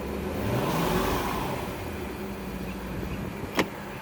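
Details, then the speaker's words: 2001 Sea Ray 225 engine running in gear on a garden hose, temperature stabilized at 150, pumping water; even rumble holding steady in gear with no stumble or stall, motor sounds healthy. "Good. It went in gear. No stalling or anything like that. I believe this motor will check out just fine."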